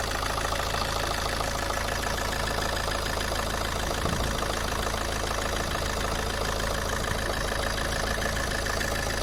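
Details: Alfa Romeo 159 JTD 150 hp diesel idling; even, slightly uneven tapping at about two per second over the clatter; owner asks whether the engine noise is normal, cause unclear.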